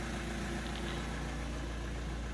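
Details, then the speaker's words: Opel Astra H 1.7 CDTI diesel, after the faulty engine control unit was replaced, immobilizer-matched and flashed, with DPF and EGR deleted; no errors. Smooth, even diesel idle with a steady low rumble; revs no longer hunting; normal idle. "Так, ну що, ластівку зібрали? Все працює. Навіть перестали плавать обороти."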